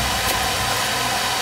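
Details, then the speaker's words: Home oil burner after fixing untightened nozzle: steady roaring rush with no pulsing, puffing or sputter, stable flame while excess oil in chamber burns off; normal firing. "so let's see what happens it should fire right up now like instantly"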